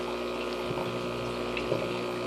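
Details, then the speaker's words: Old Elite 800 aquarium air pump on a hard surface: a steady low mains buzz with even tones as it vibrates and walks around. Air pump vibration buzz. "before it used to vibrate around uh get in one location and sit there and just buzz and Buzz and Buzz"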